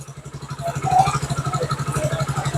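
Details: Motorcycle cold start, engine oil temperature 36 per OBD scanner: steady, even single-cylinder putter at raised fast idle around 1500–1600 rpm, no knocks or misses; normal, rpm expected to drop as it warms.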